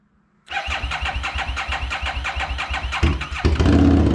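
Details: 2017 Harley-Davidson Street XG750 liquid-cooled fuel-injected V-twin engine, damaged in shipping: starter cranks about three seconds, then it fires and runs steadily.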